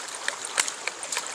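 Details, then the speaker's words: Homestead ram pump from LandToHouse fed by creek water: sharp clacks about 2.5 times a second over rushing water, the waste (relief) valve cycling faster than the recommended once per second; it still pumps well, so it is left as is. "So it's operating a little fast according to Seth Johnson. He said you want about that relief valve to open once per second. I'm about 2.5 times per second."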